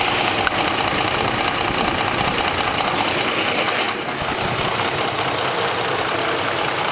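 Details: 2004 Ford F150 5.4L 3V at rough idle: uneven rattling tick about two to three per second, timing chains slapping against the engine block from failed chain tensioners; fixed by replacing cam phasers, timing chains and tensioners.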